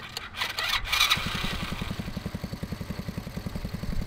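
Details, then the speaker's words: Neglected Chinese 110cc pit-bike-engined go kart, after fitting a new CDI box to restore spark: a few rough cranks, then it settles into an even putt about ten beats a second; runs but no throttle response, suspected fuel delivery problem. "you got it sounds good it doesn't have any throttle response the whole way till the bottom"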